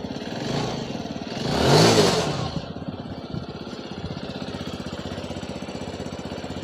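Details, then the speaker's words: BS6 TVS Star City Plus after starting-problem repair (RI unit refitted, key on-off reset); brief rev dropping to a steady even single-cylinder idle, no misses; check engine light still showing; normal idle. "हम क्या करेंगे, चाबी on off करो और करो start. Spark plug लगा, करो start, start है ना।"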